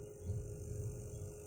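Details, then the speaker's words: Crossover powered from a universal switching PSU adaptor (12V, adjustable to 24V) feeding an amplifier: steady hum with low rumbling buzz in the speaker, ripple noise from the adaptor; transformer supply compared. "Kemungkinan kedengaran ya, ada bunyi kereng, ada noise nya teman-teman, ada noise nya. Inilah ya kekurangan kalau kita memakai PSU adaptor, ada noise nya teman-teman."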